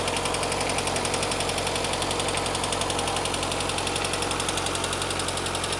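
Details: Lada 21124 engine at steady idle: light, even ticking from the top end about twice a second, in step with the engine; hydraulic lifters tapping.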